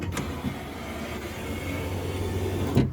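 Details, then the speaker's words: Window regulator, repaired guide glued, window weight on, some grease removed from runners: three-second motor hum as glass travels with faint dry rubbing from the regulator runners, which need grease. "I've put some grease on these Runners by the way you can hear a bit of is because I've removed some of the Grease"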